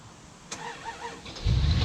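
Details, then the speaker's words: 1963 Dodge Dart slant six that had sat for years: a few slow cranking chirps, then it fires into a deep, rough rumble. The engine cranks and starts. "Whoa! Whoa. Whoa! Wow! It started."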